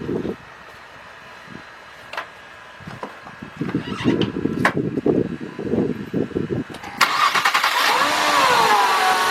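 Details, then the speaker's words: 2000 Nissan Maxima 3.0 with code P0505 that stalls after starting unless the pedal is held: on a cold start it catches after a few clunks into a fast idle with a faint whistle that begins settling; a dirty throttle body is suspected. "okay it's cold so it is going to idle a little high right now let's see if this idle goes down by itself yeah it look like it's starting to go down already"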